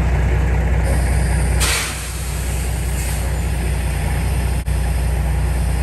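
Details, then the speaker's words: 1987 GMC General truck converted to RV, at idle: low, steady diesel with constant loud hiss of escaping air, pressure stuck at 90 to 94 psi; front drive-axle air brake relay valve leaking. "You can hear how bad that leak is. In fact, at idle, I couldn't get the truck to maintain over 100 pounds of pressure. It was actually staying in that 90 to 94 pounds, which is definitely too low."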